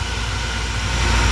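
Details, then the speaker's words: York rooftop unit inducer blower starting during test run after installing a White-Rodgers All-Spark universal ignition module in place of the old ignition control; smooth rising whoosh and hum, no scraping, normal start before pre-purge, spark and ignition. "So here we go, we have the blower motor started."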